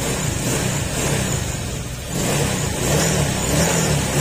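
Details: Honda Click scooter at 61,233 km, rebuilt after water pump fault mixed oil and coolant (new piston rings, valve seals, gasket, valves reground), warming up after repair: revs up and down smoothly, steady drone, no knocks; healthy.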